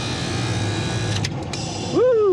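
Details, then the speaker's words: Lennox rooftop packaged AC unit with Prodigy 2.0 controller, not cooling: steady unit hum, then the compressor kicks in with a rising tone that sags away within a second; short cycling. Technician suspects the low-pressure switch, no anti-short-cycle fitted, or reversed phasing. "something just caught kicked it out I bet you it's a low pressure Swit yep and they didn't put an anti-short cycle in there that's what's going on"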